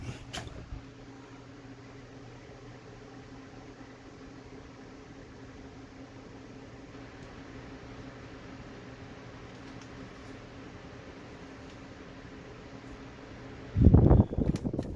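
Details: Old ornate Jacksonville Vicksburg ceiling fan, stack motor with rubber flywheel, variable speed turned back up to high: soft steady low hum with gentle airy whoosh, no ticking or wobble; normal running.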